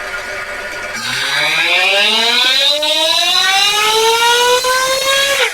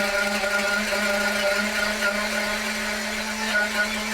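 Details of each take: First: Ielasi-tuned Terra EVO nitro RC engine on the dyno at heat cycle seven, tuning the high-speed needle: two hard pulls climbing to a high scream with faint roughness near the peak; it breaks up slightly at top end. Cause not confirmed. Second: RC nitro engine, Terra EVO, on a dyno warming up: steady, clean high buzzing drone creeping up in rpm as the engine heat-saturates and clears its richness; healthy warm-up.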